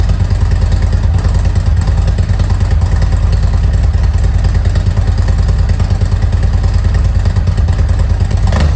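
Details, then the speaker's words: 2018 Harley-Davidson Road Glide Special M8, after changing worn spark plugs for NGK iridium plugs, checking for misfires: a deep, even V-twin idle thump with no misses, knocks or pings; all plugs firing, idle consistent. "I didn't hear any knocks or pings or anything like that. The idle sounds good. It's consistent idle, fired right up."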